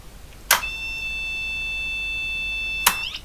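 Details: Olympia ESW 100-KSR at power-on, after cleaning a corroded board and replacing a transistor: a steady high beep for about two seconds between two clicks signals the same error as before; fault suspected in the power supply, not yet found.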